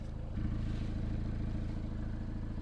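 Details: Peugeot 308 GTi THP engine after a fix for the common PCV oil leak: a smooth, even idle with a steady low hum and no ticking, knocking or hissing; normal idle.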